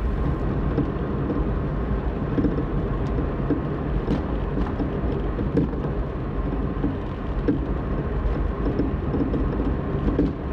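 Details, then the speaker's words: BMW E90-platform car driven on a smooth road: light irregular knocks over steady road rumble when decelerating and cruising, gone under acceleration; worn sway bar end link ball joints with play, to be replaced with aftermarket links. "现在暂时还没有声音但是现在准备仔细听我减速的时候是不是可以听到抖动的锤击声这很明显就是防倾杆小连杆的球头有磨损了中间产生间隙了"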